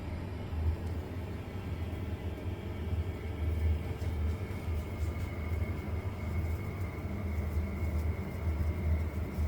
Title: Kotol Vaillant VUW 202/2-3 R2 - Strange noise